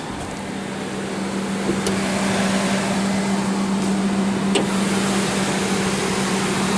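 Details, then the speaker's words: Ford Triton 4.6 V8 SUV back-lot trade-in in rough condition with possible brake problems: smooth, even idle with a steady low drone and no knocks or ticks; normal idle. "Sounds like a pretty smooth running truck though for how kind of condition it's in."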